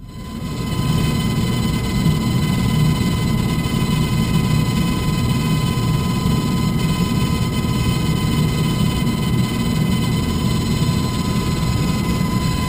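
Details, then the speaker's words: Furnace blower motor with a strange noise and no heat: loud steady roar with a fine fast rattle and whistling tones; paper, likely from the filter, drawn in and striking the fan blades, leaving marks. "you can actually actually see the marks on the fan blade where the where the paper was hitting the blades this was probably it"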